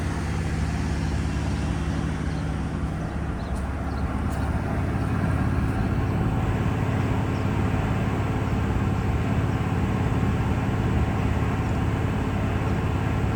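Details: Diesel fire sprinkler pump on a test run, isolation valve closed: a deep, steady diesel rumble holding even speed with a smooth low beat, no knocks or misses; normal running.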